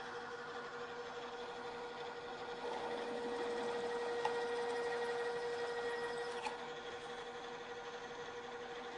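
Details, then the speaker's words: Drill press cutting metal on the way to a 1-inch hole, rerun at lower speed after chatter at higher speed: steady, even hum with no chattering or jumping. "the drill is cutting much more smoothly"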